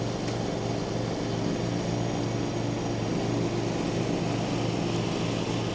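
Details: 1989 John Deere RX75 riding mower cutting thick grass: the small engine holds a steady drone with no surging or knocking. The deck may be cutting a little low and throws grass everywhere; it is running normally under load.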